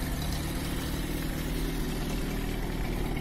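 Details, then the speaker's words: Restored old Moskvich car idling: a smooth, steady low hum with no knocks, misses or rattles; the engine runs evenly and sounds healthy. "Да, вот это автомобиль в нашем районе. Слышно, как гудит,"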